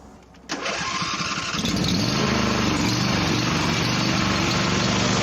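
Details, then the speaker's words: John Deere riding mower driven half underwater during a water ride runs with an uneven, stumbling, skipping beat; the 3.5-inch back pulley slips when wet, and the owner suspects the skipping comes from being half submerged. "my back pulleys three and a half inch it likes to slip when it gets wet and the engine sounds like it's skipping probably from being half underwater"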